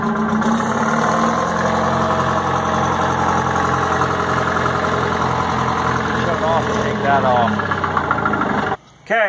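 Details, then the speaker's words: Detroit 4-71 two-stroke diesel generator engine, little used, long-sitting, started with original fuel oil: steady, even rumble at idle with a clean regular beat and no knocks, smokes slightly at low rpm; normal idle. "the motor looks young sounds young it does smoke a little bit at low rpms"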